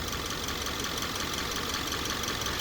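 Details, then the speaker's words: 2013 Subaru Crosstrek idling just after an oil change, no leaks: steady, even idle with a light fine ticking, no engine rattle and no pulley bearing whine or growl; normal idle. "This sounds pretty good for that age, doesn't it? 2013. No engine rattle."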